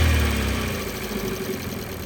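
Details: 2012 Ford Focus 1.6 petrol at idle: low, uneven idle with a faint light tick and vibration, plus reported loss of power; the cause is not yet known.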